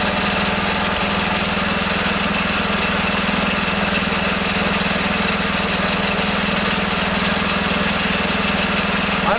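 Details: Kohler K301 12 hp single-cylinder engine rebuilt with new gaskets, first run in a garden tractor: loud steady thump about two beats per second, no knocks or misses; owner suspects bad fuel pump.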